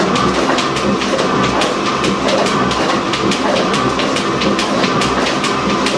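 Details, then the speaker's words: Gould & Eberhardt 24-inch heavy duty shaper, post-1912 vintage, third gear, high range, about 60 strokes a minute: steady rhythmic clatter with repeating clicks over even drone, no grinding; runs really good. "It runs really good at that speed."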